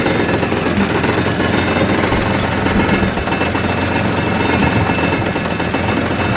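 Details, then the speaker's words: Hard-starting old Jeep with near-dead battery, started on a portable jump starter pack: busy, clattery engine note holding an even rhythm with no stumbling; normal running after a fast crank. "but as you can hear the old jeep is running wow"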